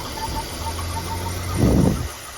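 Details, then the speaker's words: 2007 Volvo C70 T5 convertible idling: faint high whistle pulsing on and off, then a short rough surge; whistle changes when a PCV part is removed and returns when refitted; owner suspects PCV/air leak, cause not yet found. "the only thing I'm hearing is I'm hearing this little you can probably hear it too it's a little of a whistle oh I'm not sure where that's coming from"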